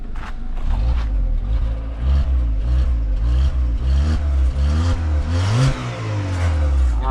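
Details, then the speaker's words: Peugeot 307 1.6L 16V, barn find allegedly with dead engine: engine holds a steady even note with a couple of smooth throttle rises and falls, no knocking or missing; runs normally. "oh voilà elle tourne comme neuve"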